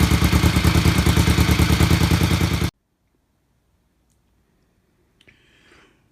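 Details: BSA Fury SS (E35SS) twin motorcycle after rebuild, during carb tuning on the shakedown: a steady, evenly spaced idle beat at about 1000 rpm with no misses or hunting before it cuts off; a normal idle, with more tuning to do.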